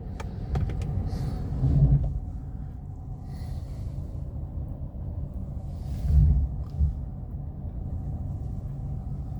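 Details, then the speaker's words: Mercedes W126 V8 on LPG, misfire fixed by adding more LPG, rolling off with brakes released and no warm-up: low even rumble building smoothly, no stumble or hesitation; pulling cleanly. "Rolling and brakes off. No hesitation. Rolling."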